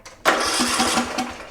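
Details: Murray Select riding mower (similar to MTD/Craftsman) after starter solenoid replacement: quick crank and the engine catches right away, settling into a steady small-engine run; starting system now working properly.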